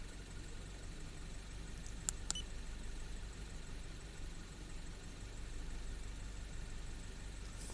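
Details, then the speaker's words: 2012 Mini Cooper S Countryman idling smoothly after replacing a split PCV membrane; quiet, steady low hum with a couple of small clicks and no hissing air rush heard before the repair. Normal idle. "it's running smoother didn't hear the air running through there like I had before I replaced it"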